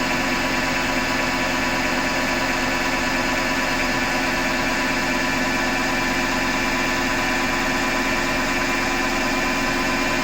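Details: Hotpoint Ariston FMD963 washing machine with a constant rough grinding hum and no clear rhythm; the owner suspects the motor rather than the drum and plans to take the belt off to test.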